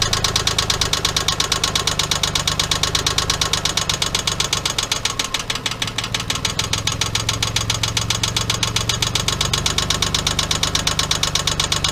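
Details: '97 Geo Metro 1.0 L, spun rod bearing after an oil leak: sharp, hard metallic knock hammering at a steady rate with the idle, over the engine noise.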